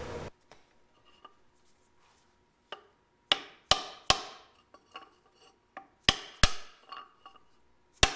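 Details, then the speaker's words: Car hauler trailer hub grease seal being hammered in during bearing repack; soft dull taps while the seal slides down, then sharp solid whacks once it seats against the bearing; grease seal fully seated. "you can hear the noise of me hitting it suddenly changed to a lot harsher noise. That's because when I was hitting it before, I was sliding the seal down in there."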